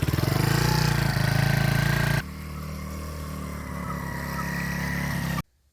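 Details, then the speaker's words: Mini ATV with Mikuni carburetor after the fix: needle C-clip repositioned two notches and idle speed screw readjusted; small single fires straight up, brisk even putter at idle, then cuts off cleanly; starts easily and runs well. "now I was able to uh adjust the idle speed [Music] screw uh a little bit better and it runs very well well right now so I'll show you start her up"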